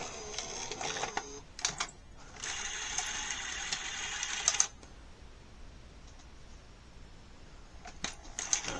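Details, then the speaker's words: NEC SuperBeta HiFi VCR VC-N65EU: the loading motor whirs in bursts, then stops short. The mechanism doesn't move far enough to press the threading end switch, so the loading cycle won't complete. "take a look at my finger here and you'll notice that it moves over but not far enough to engage the switch so that it will complete the cycle"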